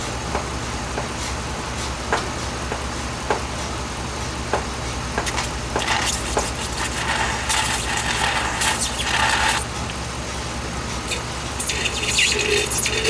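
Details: 2007 Dodge Ram 5.7 HEMI V8 idling while warming up after a water pump replacement; 140°F at the thermostat, coolant still purging air. Low, even hum with some clicking and rattling nearby, and no squeal or knock. Normal idle.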